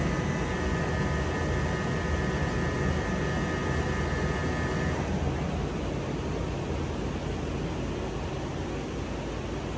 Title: 2021 Mercedes S Class A/C compressor buzzing noise